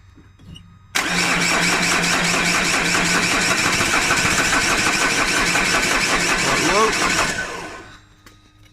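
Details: 2010 Vauxhall Insignia diesel, won't start, injector lines cracked to bleed fuel: steady even cranking at about 220 beats a minute for six seconds that never catches; cause turned out to be a lazy fuel pump.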